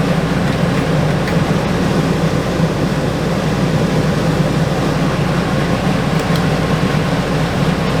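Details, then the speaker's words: Travel trailer rooftop RV air conditioner reported not cooling, running 5–10 minutes: steady fan whoosh and low compressor hum, no rattles or cycling; compressor draws 11.6 amps, blowing cold air, 70 in to 45 out, Freon fine, no filter found. "So 11.6 amps ain't bad at all. It feels pretty good. It's blowing cold air."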